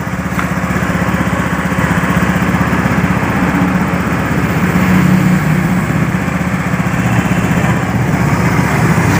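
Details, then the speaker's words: Honda Beat FI motorcycle, restarted after seized-engine rebuild; compression raised from 20 to 40 PSI; small single ticks over at a quick, even pace, about three beats a second with no misses: steady, healthy normal idle. "Baiklah, motor ini sudah menyala ya. Motor ini sudah menyala. Ya, bisa teman-teman ini dengarkan dari suara mesinnya."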